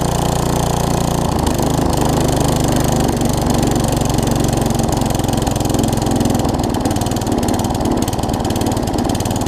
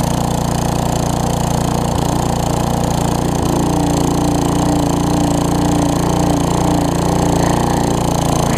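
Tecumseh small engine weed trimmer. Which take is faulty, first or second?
first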